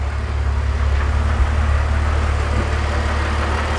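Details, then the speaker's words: BMW E46 330i/325i with valve cover to oil separator tube disconnected creating a large vacuum leak; raised-rpm drone with uneven stumbling beat, engine missing, fuel trims climbing past 20%, setting P0171/P0174. "you can now hear that's a large vacuum leak the engine's missing"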